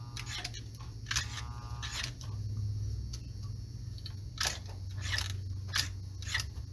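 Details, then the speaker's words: 1946 American Flyer #300 4-4-2 Atlantic S gauge engine, first run after long storage: low steady motor hum with sharp clicks about every second; reversing unit moves but won't advance, so engine runs in one direction only. "the reversing unit is not working um well that's not entirely true i heard it moving but now that it's it's operating i'm not getting it to advance"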